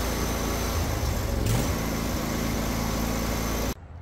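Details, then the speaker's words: Husqvarna 22V46 riding lawn tractor, engine running: a dry, rough whirring appears when the parking brake is released and stops abruptly when the belt unloads; owner was 99% sure the worn drive belt idler bearings cause it. "you'll definitely hear that noise soon as I Lev up that parking brake and I was 99% sure that that was the drive belt iders making that noise"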